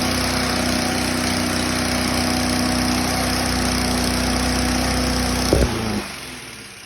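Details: Toro mower that would not start now runs at a steady, even speed for several seconds, then is cut and winds down; sounds healthy, normal running.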